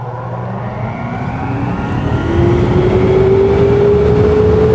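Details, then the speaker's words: Laguna P|Flux1 dust collector after installing the AutoClean retrofit kit, first start: steady rush of airflow as the motor tone climbs smoothly and evenly up to speed, with clicking inside from the filter cleaning routine; running normally. "When you first start it, it's going to go through that filter cleaning routine for the first time, and you'll hear that as the machine is running. Don't be alarmed, that's just it doing its job."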